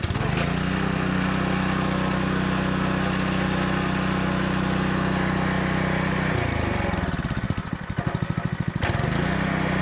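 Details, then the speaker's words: Honda GX200 water pump engine after carburetor cleaning, fresh gas: runs steady on full choke about six seconds, then stumbles into slowing, uneven chuffs and nearly stalls; still won't run off choke, carb to be rechecked, cause unknown. "Check see if we missed anything cuz it still will only run on full choke. It won't run when you take it off choke."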